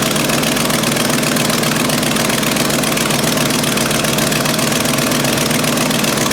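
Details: 1994 Ford F700 gas V8 idling with a fast sharp ticking puff over the rumble: exhaust manifold leaks, pipe-to-manifold flange loose; tightening the clamp didn't help.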